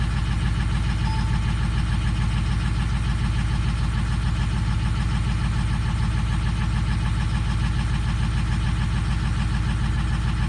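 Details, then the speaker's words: 2004 Powerstroke diesel with a long crank when cold, cold-start idle: steady lope with about two uneven beats a second as number 4 injector reads low and misfires, clearing up briefly then returning. Sticking injector suspected. "So number 4 is a little low. You can feel it, it's missing right now. Just let it run a minute."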